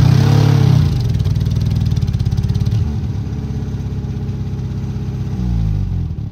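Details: 1958 Peugeot 403 pick-up, one owner, restarted after decades abandoned; uneven lumpy idle with stumbling beat that never settles; one cylinder dropping out, running on three cylinders.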